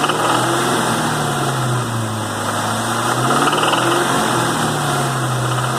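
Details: 2001 Cobra 4.6 4V V8 at 78,600 miles, noise on light load: steady idle with an irregular light knock riding over it, roughly four per second; engine knock, source not pinned down.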